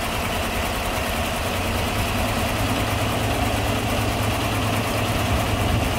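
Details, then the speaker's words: 2015 GMC Silverado, towed in for stalling and running terrible, hood open: lumpy, uneven idle with a stumbling beat and puffing on one cylinder, worse than a plain misfire. "that is not just a misfire either holy crap all right um yeah we're gonna pull this thing over to the shop and I'm gonna have to figure out what's going on here it's not just a misfire there's something"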